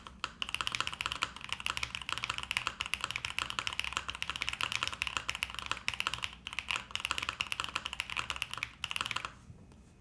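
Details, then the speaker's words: Pre-built LuminKey75 keyboard, possibly baby raccoon linear switches: even run of soft, slightly foamy clacks with a steady typing rhythm, no rattle or ping; pretty good, normal typing sound. "can't say this is bad this is pretty good actually"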